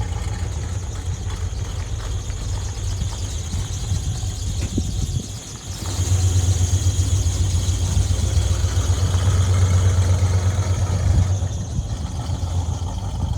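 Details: 1981 Chevy C1500 with a freshly rebuilt V8 (new lifters, big cam), out of winter storage; a steady high belt squeal over the idle grows louder; the belt is slipping.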